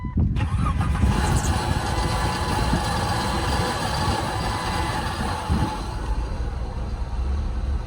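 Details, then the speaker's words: Jeep after replacing catalytic converter (clamped front, welded rear) and new O2 sensor, test fire: cranks, catches within a second, steady even idle, no misfire or rattle; normal start and idle, running much better, check engine code still to clear. "So we got Captain's Jeep all fixed up. Ran a whole lot better with that new Cadillac converter and O2 sensor"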